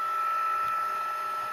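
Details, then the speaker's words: Sharp VL-H870 ViewCam Hi8 camcorder after repair of the tape transport, which had ground when ejecting, fast rewinding with half the covers off: a steady, even high whir at constant pitch with no grinding or catching, louder than normal with covers off but working. ">> And I mean, it's louder than normal because I got half the covers off, but she is working."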